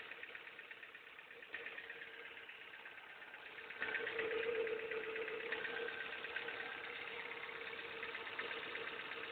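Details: Ford Fiesta Mk5 at idle: thin steady whirr that swells for a few seconds, from the pulley side; owner suspects the power steering pump or crankshaft pulley, source unconfirmed.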